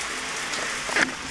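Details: Shower valve after its in-wall cartridge was replaced to fix a leaking head and a spinning knob. An even, rain-like spray without surging, sputter or squeal shows normal flow. The head still drips slightly.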